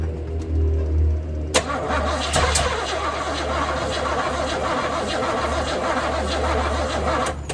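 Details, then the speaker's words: 1978 Chevrolet Camaro drag car, unknown rebuilt cammed 350 small-block V8 with Muncie M21 4-speed, timing and idle adjusted, fuel squirted in: engine catches with rough firing, stumbles unevenly a few seconds, then fades instead of idling; cause unconfirmed. "It wants to start, but it won't."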